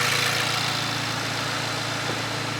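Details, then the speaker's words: VW Golf R engine swapped into an Audi S3, intercooler-to-turbo charge pipe not yet connected, warming up: smooth, steady idle with an even low hum and light hiss, no misses or knocks. "it sounds nice though where's the point [Music] it sounds really nice sounds beautiful so I'm going to leave that to run and get up to temperature"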